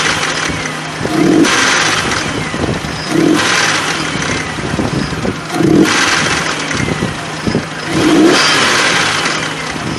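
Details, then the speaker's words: Nissan Frontier VG33E V6, 183,000 miles, revved in four short blips: light clacking tick from one or two hydraulic lifters bleeding down, persisting after STP oil treatment, so lifters need replacement. "we can still hear that noise and this mean we have to replace those parts"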